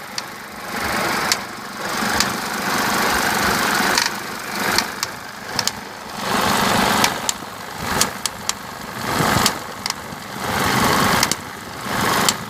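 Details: Mercedes W201 190D 2.5 diesel with ASD system idling: slow rhythmic swell about once a second with sharp ticks, source unknown; noise disappears when revving or fully warm; hydraulic lifters and injectors checked fine, no smoke.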